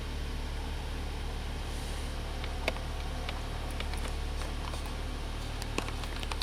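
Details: 2004 Honda Accord EX 2.4L I4 after alternator replacement, at idle: quiet, even low hum with no ticks, squeal or whine; charging normally at about 13.8 V.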